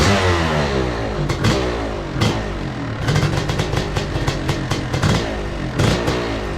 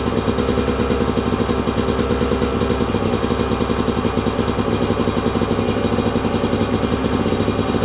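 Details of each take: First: 2002 Yamaha YZ125 two-stroke kicked over and revved: uneven, clattery, stumbling beat, runs rough though it fires right up; owner suspects it needs a top end, possibly jetting, not confirmed. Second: 2002 Yamaha YZ125 two-stroke, sat a long time, running on choke after first start: crisp, even crackle with a fast steady beat, no knocking or clatter underneath, crank sounds good; normal idle.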